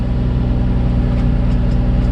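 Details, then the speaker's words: Nissan 350Z started after the interior wiring harness was cleaned and reinstalled, on a hot day: smooth, even, steady low idle with no misses or knocks, sounding healthy; normal idle. "hey guys that sounded very healthy that sounded really good we must yeah we did the job right guys"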